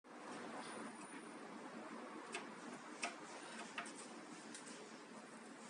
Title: Eg-Evkin cf-052 bad bearing cup